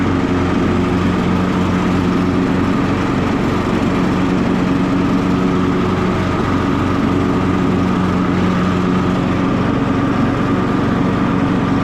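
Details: Cub Cadet LT42 XT1 riding mower, key turned to R reverse mode with button pressed so blade stays engaged; loud even engine drone, steady low pulse and constant blade hum, no misses or knocks, healthy.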